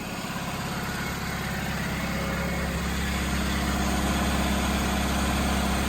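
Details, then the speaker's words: 2005 Chevy Malibu 2.2L, 250,000+ miles, idling after 15 minutes following a head gasket replacement. Steady, even idle with no ticks or knocks; temperature good, check engine light gone. "All right, it's been running for 15 minutes. Temperature is good."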